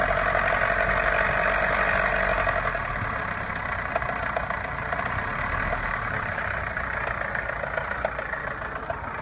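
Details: Opel Omega A Caravan 2.0 at idle: two knocks, a hard diesel-like clatter plus a lighter tapping about three to four per second; engine knock, source undetermined.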